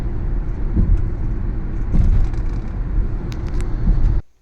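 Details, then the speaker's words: Honda van with 168,000 miles, driving just after water pump and timing belt replacement; climbs hills with little throttle and has strong compression. Smooth, deep rumble with no knocking or misses, pulling cleanly and evenly; normal running. "It runs great. It drives really good. Engine-wise, this thing's perfect now. It's absolutely running great."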